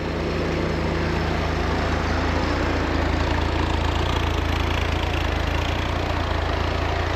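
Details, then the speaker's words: Chevy 250 cubic inch inline six, running after a reversed distributor firing order was fixed: slow, fairly even cold idle at about 540 rpm on the choke. The choke is slowly opening and idle is expected to rise. "you can hear our choke slowly opening because our choke is riding off of the spring that's in here so we're idling differently"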